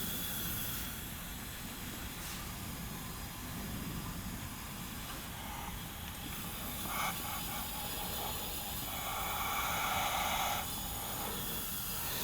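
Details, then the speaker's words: 1990 Onan P218 18 hp twin, one cylinder at 90 psi compression vs 120, engine turned over without running: steady air hiss escaping from that cylinder's exhaust port; leaking exhaust valve, suspected carboned. "definitely get some leakage here in this this exhaust Port the exhaust port's leaking I could hear it"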